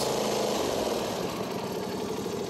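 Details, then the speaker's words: Small lawnmower/generator engine running at a steady, even hum with no misses or surging after reinstalling the carburetor part; normal running after the five-minute fix. "I'm going to re reinstall it tighten it up plug it back up and it will start up just fine as long as that solenoid is working like I just showed you this engine is now cranking up fine it just took about five minutes to fix"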